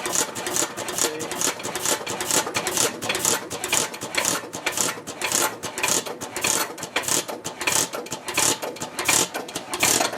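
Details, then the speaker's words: Ruston Hornsby PR, about 1926, horizontal single-cylinder petrol-paraffin engine of 5–6 hp, running on petrol: crisp, regular ticking about twice a second, unhurried, no misses; normal idle. "So there you go, that's the starting an operation of a 26, Six. I think, round about that age."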